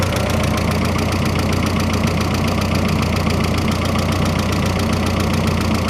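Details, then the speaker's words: Freshly rebuilt turbo engine on first run, slight smoke off the turbo, filler cap off: loud clattery idle with fast uneven ticking around 220 a minute over low rumble, barely quieter with hood closed; noisy, source unknown, maybe needs break-in. "I want to know why she's so noisy up the You see what it sounds like with the hood closed. Maybe it's quieter. No, it's not much quieter."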